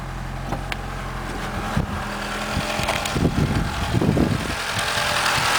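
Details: Mitsubishi 4G63 engine, idle raised to 1300 rpm without alternator or power steering: uneven rattling chatter rising with revs, strongest 2000–3000 rpm; owner first suspected silent shaft, actually a bad timing belt tensioner.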